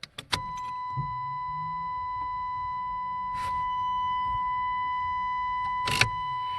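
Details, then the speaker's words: 1989 Chevy Cavalier after new fuel pump, new wiring plug and new Wix filter, key on: over the chime, a low steady hum from the tank for about five seconds; fuel pump priming normally. "yeah i just hear it kicking on i didn't hear a kick off there"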